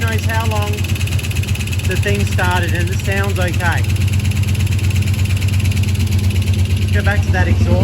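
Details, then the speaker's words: Holden VR Clubsport 304 V8, dormant for years after a heavy front impact that might have hurt the engine: running after its first start. A deep, steady burble with no knocking or tapping, which is heartening. Normal running. "so the fact that there aren't any crazy knocking noises is quite heartening which means that it won't need as much attention as it could do"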